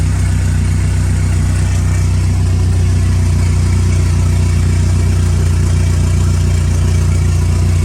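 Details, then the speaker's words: Freshly built ACR engine, first start after motor and trans install, running on 2-month-old E85: fires and holds a strong, steady idle, even beat, no knocks or ticks, no leaks underneath, good oil pressure; runs healthy. "Well, she started, don't see any leaks underneath. So we're gonna start it up again, let it get warm, let it idle. Got good oil pressure."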